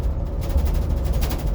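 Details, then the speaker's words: 2018 Blue Bird electric school bus (bus #24) driving on morning route, heard from inside cabin: steady low drive rumble with quick, uneven rattling bursts; driver blames loose wiring in the sealed-off bulkhead, not confirmed. "This one's got all kinds of loose wiring in the bulkhead."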